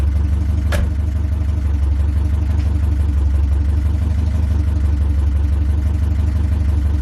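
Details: 1969 Ford Capri after fitting another carburettor with smaller choke: smooth even idle with steady low beat, no stumble or misfire; normal, runs much better.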